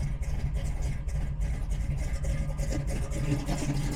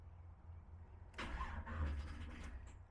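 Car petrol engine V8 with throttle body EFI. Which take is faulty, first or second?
second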